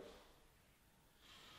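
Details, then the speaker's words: Door on standard mortise butt hinges without bearings, before replacement with ball bearing hinges: a quiet, brief high-pitched creak like a crying dog as it swings; the worn hinge squeaks. "will squeak there it is sounds like a crying dog and it's frustrating to me"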